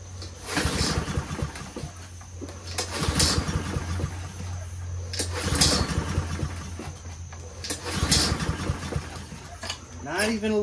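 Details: Troy-Bilt 21-inch front self-propelled mower with Honda engine, on choke with fuel flowing: four pull-start bursts a couple of seconds apart, engine never catches; no-start because the choke flap is stuck open.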